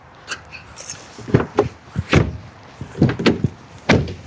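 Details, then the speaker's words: B8 Audi A4 door after replacing the failed door lock actuator: a crisp clunk on locking, another on unlocking, then the latch releases and the door opens. Central locking works normally. "Yeah, I can hear it lock and unlock."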